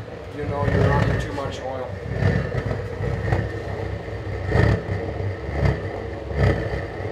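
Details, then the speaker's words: DIY gravity-drip waste-oil burner deliberately given too much oil: a steady roar broken by irregular low thumps and puffs about every second, backfiring. Cited causes are too much oil, insufficient draft or too few air holes. "so reasons for backfire like that too much oil or not enough of a draft or not enough air holds that's never a good thing"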